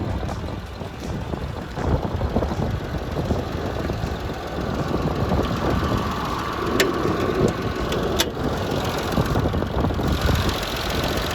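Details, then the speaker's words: 1995.5 Isuzu Rodeo 3.2L 24-valve SOHC V6, manual, 4WD, just over 241,000 miles, idling: light quick tapping over slightly rough idle from timing tensioner, lifters faintly audible; was worse before switching from 5W30 synthetic to 10W30. "and that tapping sound you hear is a timing tensioner that is not lifter i mean you can hear lifters a little bit but nothing like it was"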